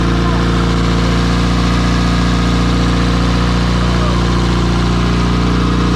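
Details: Porsche 944 project turbo four on E85, first start after almost two years, swapped plug leads corrected: steady smooth idle with even low beat, no stumbles or misfires; runs cleanly, though fuel and oil leaks and low oil pressure noted.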